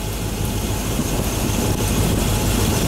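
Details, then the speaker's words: Freshly built 350 Chevy V8 on break-in, new Holley carb, aluminum heads, 34-degree day, running the gas out of it; steady deep idle, even low rumble, no knocks or ticks — normal idle. "I kicked a flashlight out and I'm running the gas out of it guys she sounds good"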